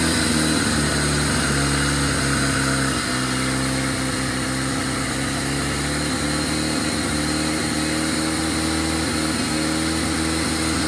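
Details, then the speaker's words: 1997 Jeep Wrangler TJ (2.5), idling after new throttle position sensor fitted (corroded plug): uneven, lumpy idle with stumbles and misses; TPS did nothing, IAC next, owner suspects fuel injectors; cause not confirmed. "Still stubbling. Okay. Throttle position sensor did nothing."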